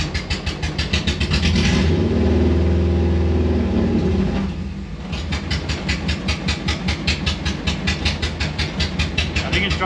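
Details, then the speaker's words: 1974 VW Bus with a swapped Subaru EJ25D engine, fresh oil, new filter and new idler and tensioner pulleys, idling in neutral through open headers at about 780–825 RPM; steady, even exhaust pulse with no misses, normal idle. "definitely need to fix that but you can see how much better the idle is we're looking at about 780 to 825 RPM idle"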